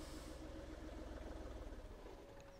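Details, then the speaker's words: 2012-13 VW Polo 1.2 TDI diesel, codes P261A00, P023800, P010400: catches and runs rough and low for about two seconds, then sags and stalls; suspected EGR valve stuck open choking it, intake cleaning didn't help. "then it stalls all right so my guess is without even looking at any scan that's an EGR problem because what's happening is starting it's creating diesel combustion and then with EGR valve been open it's ingesting EGR gases so it's chucking it to death"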